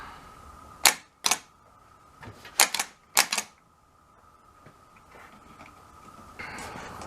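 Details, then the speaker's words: 2001 Ford Escape no-start: starter (cheap Amazon unit fitted about two years ago) clicks and engages, sharp single and paired clicks, but won't spin, with a little smoke; owner concludes the starter has failed and needs replacing. "after some testing there as you saw a little bit of smoke and things I could make it come out but I couldn't make the tea spin on it so something is wrong with this starter time to order another new one"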